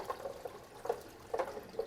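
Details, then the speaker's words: SaniServ 500 Series twist ice cream machine, sanitizer poured into the mix pan: irregular gurgles and bubbling pops, a few every second, as liquid drains through, showing all seals are seated with no leak; normal seal bubbling. "And I'm going to stop and listen for the bubbling. That means all the seals are in place. If you hear that bubbling,"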